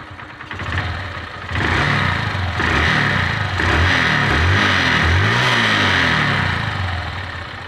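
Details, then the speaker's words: Petrol motorcycle after replacing a loose timing chain and worn roller: catches and settles into an even idle with a couple of clean throttle blips, no top-end rattle; the noise is gone and it runs smooth. "वो तो ए अभी आप देख सकते हो कि इसके आवाज कितना स्मूद हो गया है"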